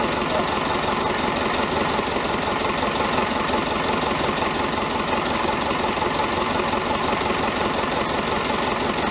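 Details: David Brown 1490 diesel tractor at tickover on its first run after an engine rebuild: a sharp, regular knock riding every few beats. Owner suspects a fuel injection knock; injectors are out being reconditioned.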